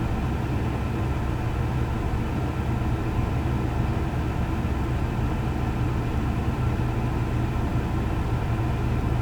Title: Chevy Colorado rough idle